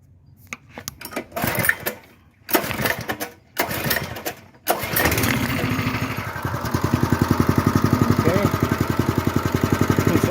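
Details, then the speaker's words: 1966–1968 Bonanza BC-1200 mini-bike single-cylinder engine on choke after a new replacement carburetor, fuel line, fuel filter and spark plug: handling noise, then a steady, even putter at about four beats a second; normal idle. "pretty good although it is on choke"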